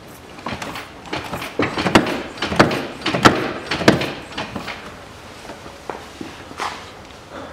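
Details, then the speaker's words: 2013 VW Passat CC, 1.8 petrol, DSG, FWD, 77,000 km: knock over speed bumps when both wheels lift and land. With the wheel off and body rocked, uneven hollow clunks come from the front sway bar end link catching the plastic trim edge; it sounds like a body impact. "вот у нас стойка стабилизатора Цепляет за край пластик и вот этот стук такое впечатление как удар по кузову"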